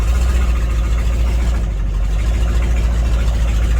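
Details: 1982 Chevy square body ambulance just started and moved: a deep, loud, even low rumble at idle with no misses or knocks. Oil pressure is good, temperature has not risen and it is charging, so it idles healthily.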